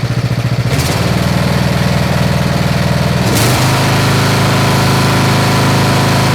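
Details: Snapper SR-series mower, 10HP Briggs & Stratton, stored 10 years, after tuning the aftermarket carburetor and fitting the air cleaner: crisp regular single-cylinder beat, steps up cleanly and holds steady, no missing; running well.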